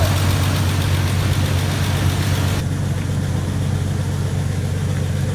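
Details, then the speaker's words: 1999 Jeep Cherokee after an engine swap, first fire with an oily cylinder: smoky but smooth, even low idle thrum, no misses or knocks, running on all cylinders; normal idle, cylinder later found wet. "First fire with the oily cylinder. Smoky? Smoky. Smooth, though. Damn smooth."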